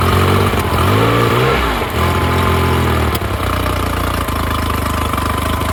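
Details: Honda BF35/BF40/BF45 outboard after a carburetor installation: settles from a brief rev into an even idle with a steady low beat, no knocks or misses. It is slightly rich in the midrange and the low-speed stop is not yet reached. Normal idle.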